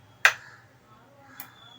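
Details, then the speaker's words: LG 42LH70YR edge-lit LCD TV at power-on: one sharp relay click, then a softer click about a second later as the power-supply relay switches on then off and the TV fails to start. "Relay on ആയിട്ടുണ്ട്, ഓഫായി. Okay, അപ്പോൾ ഈ click sound കേൾക്കുന്നത് റിലേയിൽ നിന്നാണ്."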